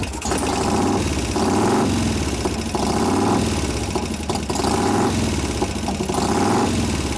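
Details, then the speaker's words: 1988 Harley-Davidson FXR V-twin at idle after a new Crane lifter swap: loping beat with a light tick on each beat, same lifter still noisy, suspected not pumping up after an hour bleed-down; lifter tick at idle. "Same damn lifter still going. Okay, let's put it in gear. Let's see if we can find what that lifter's on."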